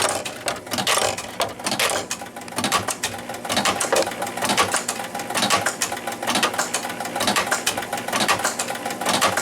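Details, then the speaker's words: 1976 Williams Space Odyssey pinball machine after start with free-play hack: mechanical clacking about once a second repeating nonstop as the ball eject keeps firing though the ball already kicked out; score motor runs continuously, cause not found. "was trying to kick the ball out, and now it's just doing that over and over again, even though it did kick the ball out."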